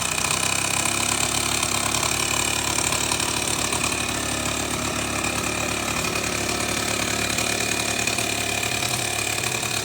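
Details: Suzuki Sepia ZZ scooter: fast, uneven ticking rattle of about three to four knocks a second over a buzzy idle. Abnormal engine noise, cause unclear.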